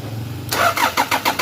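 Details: Crank no start on a 1997 Toyota Prado: the starter cranks in quick, even pulses, about seven per second, but the engine never catches or fires. Cause suspected, not confirmed.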